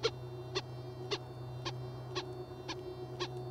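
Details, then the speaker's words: Whites Goldmaster 24k metal detector, audio volume 5, sensitivity turned down to 2, boost off, over a small gold nugget: soft short blips about twice a second over a steady low hum, distinct but not loud, pitch and volume rising slightly. "See, it's definitely distinct,"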